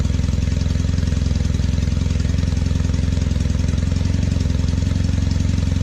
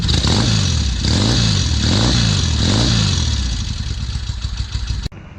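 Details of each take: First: 1968 Norton Commando twin on a test ride after switching from monograde to 20W50 oil: heavy smoke from the left side and a fast, uneven, lumpy chuffing beat. Rough running. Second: 1968 Norton Commando twin, restored, after fitting hotter NY7C plugs (previous NGKs about four grades too cold), started with carbs tickled: fires up and blips cleanly, revs rising and falling smoothly, then settles; running healthy, plug slightly grey.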